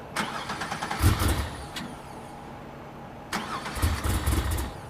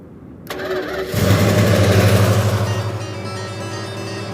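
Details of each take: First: Crusher Camaro with a swapped 700 hp engine, cold start in cold weather. Long cranking, a brief catch that dies, then sputtering is heard. Cranking fuel is fine, but the mixture is lean. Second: Imperial, engine start after damaged, taped-together wiring was repaired. A brief crank, then the engine catches and settles into a steady, even idle with no misses. Normal engine start.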